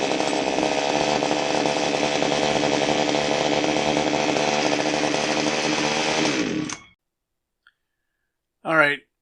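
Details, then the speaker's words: Echo HC1500 hedge trimmer after a fuel line and carb overhaul and a new spark plug, running without the air filter: it revs with a buzzy, slightly uneven two-stroke note for about six seconds, then cuts out; it needs basic carburetor adjustment. "gonna need some basic carburetor adjustments but before we do that we're going to put the air filter on it and make those adjustments"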